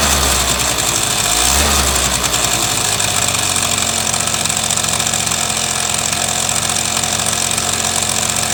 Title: スズキ セピアZZ エンジン異音〜